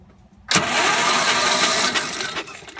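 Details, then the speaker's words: Gravely 430 tractor with Onan NB engine, new crank-trigger ignition, sitting about 25 years: starter drags the engine over sluggishly for two seconds without catching. Slow cranking; owner blames a weak battery and a poor starter. "the battery that I was using is a little weak and the starter on this tractor isn't the best either"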